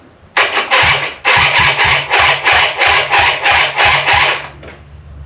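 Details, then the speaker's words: Mystery quad (ATV) in neutral with kill switch off, freshly powered battery: brisk, even whirring crank, about three and a half compression strokes a second, never catching; starter turns the engine fine. "it does in fact crank. So now that we have power, we know that it will crank on its own."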